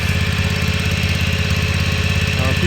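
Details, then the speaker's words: Exmark Ultracut 48 commercial stand-on mower, stored over a year and possibly on old fuel, starts right up. It settles to a steady, even single-cylinder putter with no knocks or misses: a normal idle. "this machine may have old fuel from being in storage for over a year so i'm going to go ahead and start it it starts right up here we go"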